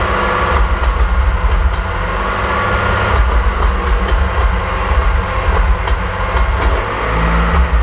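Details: 1927 Avions Voisin C11 with a 2.3 L six-cylinder sleeve-valve engine and thermosyphon cooling, making its first start after rebuild and first run in about 60 years. Deep, steady, even rumble with an odd light click: normal running.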